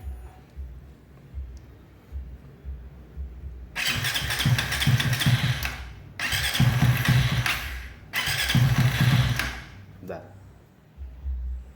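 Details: Suzuki V-Strom 250 ignition coil on a coil tester at 0.7 gap, standard 12 V path without boost: three long bursts barely catching and dying between tries; spark small though blue, weak spark giving hard starting.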